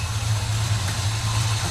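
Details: 1957 Chevy Bel Air V8 running after about 30 years off the road, following a loose fuel line repair: a deep, even idle with a steady low rumble and no knocks or misses. The engine is running smoothly.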